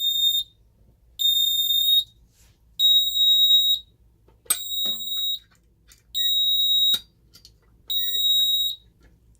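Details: Ademco 6139 alarm keypad test of the carbon monoxide zone: loud high-pitched tones about a second long, repeating roughly every one and a half seconds as the CO alarm sounds.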